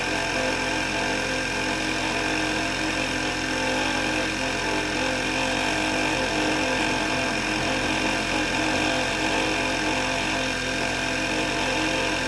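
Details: VW MK6, at morning cold start sounds fine, then a strange noise begins: steady whirring whine over the idle holding pitch; cause was a failing alternator, replacing it removed the noise.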